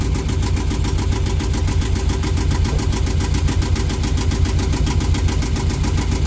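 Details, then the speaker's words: Yanmar marine diesel in a boat, first start: low, even tickover holding steady with slight bounce, no hunting or surging, previously bouncing all over; now acceptable idle, charging at 14.5 volts. "You see, see the bounce, you know, that really is I mean that's a tick over in a way. But that was bouncing all over the place when we got the boat. So, and that's not too I think that's going to be acceptable."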